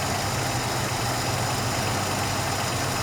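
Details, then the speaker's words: Ford Capri Mk I 3000 GT XLR 3-litre during carburettor tune-up: steady even idle, smooth low beat, no hunting or stumble; unscrewing mixture screw makes no difference, so mixture about right. "So I just unscrew the screw. Now it's not making any difference, which means that the mixture is about"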